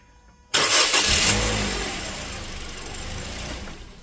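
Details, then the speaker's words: 2015 Toyota Corolla, 1ZR engine, cold start after repair for a harsh cold-start noise: the engine catches sharply and settles into a smooth, steady run with no squeal or knock. Noise gone, considered fixed. "So I'm not hearing the noise like before. So, I'm definitely going to call this a fix."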